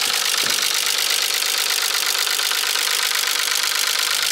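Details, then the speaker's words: Nissan 300ZX Z32 non-turbo, manual, with a misfire: a fast, fairly steady knock at about three per second through the idle, sounding like a diesel tractor and seeming to come from the middle of the engine. Source still undiagnosed. "this is the sound of the engine sounds like a diesel tractor and it's coming out with I think from here we're sounds like it's coming from the metalic tree looks like this knocking sound is coming from the middle"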